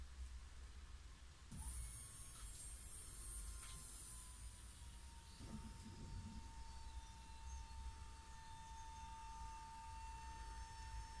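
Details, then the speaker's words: VW Sharan 7N2 2.0 TDI 150 hp after fuel filter replacement: the fuel lift pump, triggered via VCDS to purge the circuit, gives a faint, steady electric hum from the tank side for about a minute. Working normally. "Donc là on entend une pompe, c'est du côté je pense du réservoir, c'est de l'autre côté."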